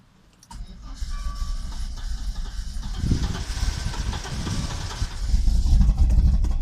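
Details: Audi Coupe after swapping an NG engine for an AAR engine: hard starting, starter cranking at about four beats a second with uneven catching, many misfires, restless running, and stalling while driving; cause unknown.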